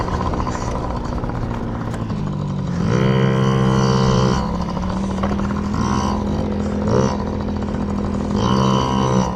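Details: Yamaha PW50 two-stroke warming up after carburetor clean for bogging and dying at wide open throttle: buzzy idle, revs climb cleanly on each throttle blip and fall back without bogging or dying.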